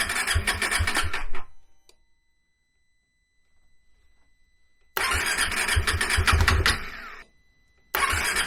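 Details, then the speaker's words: Cold KTM 390 Adventure single after the PowerTRONIC ECU was plugged in: it catches, sputters unevenly and quits, then refires and stumbles again. Owner suspects air in the fuel system from removing the fuel tank; it would not start until given wide-open throttle. "I think where it didn't want to start and it shut itself off, I think that's where I took the fuel tank off and there was just air in the fuel system. Because it didn't want to start until I gave it wide open throttle."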